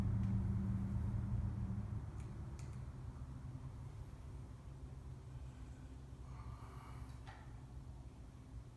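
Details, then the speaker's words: Original, very-low-mile 1968 Buick 430 V8 (ex-'68 Riviera), first run in decades after fixing a bad ground at the distributor points, carburetor never apart: a steady low rumble settling into an even idle with no misfires, hitting on all eight. "I've never had this carburetor apart, so I don't know what the carburetor is trying to do, but it sounds like it's hitting on all 8 for sure."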